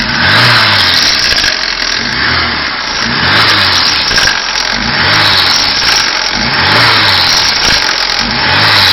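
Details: 2010 VAZ 21214 revved above 3000 rpm, heard from the cabin: a steady rushing rattle with loose rhythmic pulsing. The hydraulic engine mounts were replaced but the noise remains, and the owner suspects the single-row timing chain.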